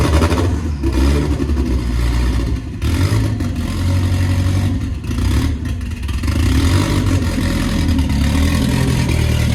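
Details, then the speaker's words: Nissan S14 with a loud, raw exhaust bark and some throttle blips, now holding idle on its own after the fuel pump was checked for priming; the earlier idle problem is solved and the idle is normal. "It's idling? It wants to. That's good. That's a good sign."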